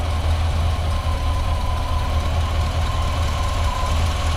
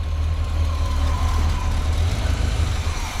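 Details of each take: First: Square-body truck V8 parked nearly 20 years: cranks with a steady low churn but never fires, with no fuel coming up. A later sound is suspected to be the fuel pump on the wrong hose, or a small exhaust leak. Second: 1986 square body truck engine first started after being parked nearly 20 years, with little done to it; deep steady low rumble with an even beat, no misses, knocking or smoke; idling smoothly and sounding healthy.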